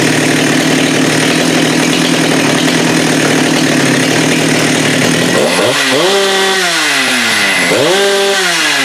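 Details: Husqvarna 394 with HyWay 58 mm big-bore cylinder, aftermarket carb fitted, cold day: clean, steady high pitch at wide-open throttle, then smooth drop and rise with the trigger; no-load speed 12,100 rpm, up from about 10,900.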